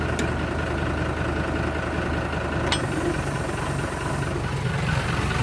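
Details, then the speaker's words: Kubota M120 tractor diesel, fire-damaged and rewired, new three-point lift computer: idles steadily then bogs and labors as lift arms top out; pump deadheading, valve not returning to center. "i don't know if you can hear the motor being bogged down or not it's probably a center on this three-point lift but i gotta investigate a little further and see what it is for sure"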